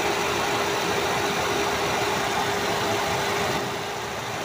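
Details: Hyundai i10 after overheating repair (thermostat drilled, fan on), warm after ~40 minutes, coolant about 82–85°C: even, smooth idle with steady mid-pitched hum, no knocks or squeals; normal temperature and idle.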